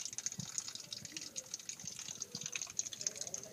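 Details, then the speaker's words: Kitchen waste (drain) arm leak with water shut off and slowing; faint steady trickle with small gurgles over quiet room hiss as water still runs out — drain pipe leak. "so i'm going to turn this thing water off it's going to take a little bit of time but you'll notice that the water is already starting to slow down a little bit still see it hear it coming out"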